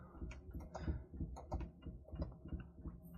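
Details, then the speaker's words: Quiet, uneven low throbbing rumble, about three pulses a second, from a failing central heating pump; boiler temperature rising too quickly toward overheating, so a pump swap is planned. "he's saying that the burn is on but that is definitely Ry right got a pump on the van so let's get that swapped out first"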